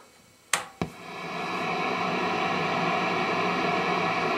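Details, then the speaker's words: Hughes & Kettner 50 W Switchblade amp, effects loop off, Decimator G-string now on AC power instead of battery, guitar not through the pedal board: two switch clicks then steady even hiss, no rising hum; noise floor about the same, normal. "can see that the sound is relatively the same"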